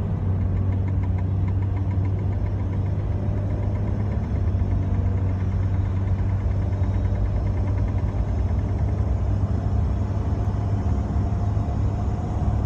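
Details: BMW E30 while driving: heavy low rumble with a faint repeating thump from the rear; owner suspects a wheel bearing, axle, shock mounts, drive shaft or rear differential, unconfirmed.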